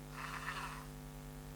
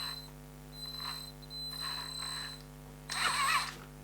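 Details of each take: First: ISDT ESC70 driving a small brushed motor in a Gatekeeper RC crawler, 3.5 V per cell cutoff, 6.8 V BEC; after changing PWM frequency to 20, the ESC whine is gone, leaving a soft low hum at a slow crawl. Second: ISDT ESC70 ESC in an RC build, set to 3.5 V per cell cutoff and 6.8 V BEC, giving a high thin whine around 4 kHz that switches with throttle, caused by low PWM frequency; fixed by raising PWM frequency to 20 in advanced settings.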